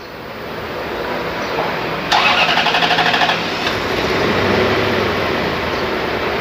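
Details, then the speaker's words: Toyota 1UZ VVT-i V8 with electronic throttle, complaint of stumbling and shaking: cranks briefly, catches, settles into uneven stumbling idle with misfire, worse in gear with A/C on. "สังเกตนะครับเครื่องยนต์เดินไม่นิ่งนะผม"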